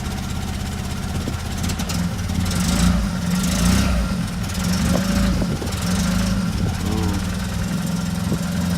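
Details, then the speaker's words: Opel Manta with lumpy running after carb clean, cam timing being checked; lumpy idle with slight hunting, no longer backfiring, better than before; suspected carburetor cause, no cooling connected. "Is that idle? I'd say that's better, but I think now that's the carburetor."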